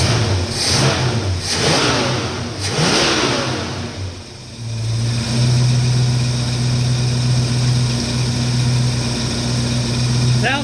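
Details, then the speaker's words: 1969 Mustang timed at 14 degrees (suspected cam), now running smooth; three quick crisp blips climbing and dropping cleanly, then smooth steady idle, good throttle response. Normal free revving. "great, got really good response, throttle response."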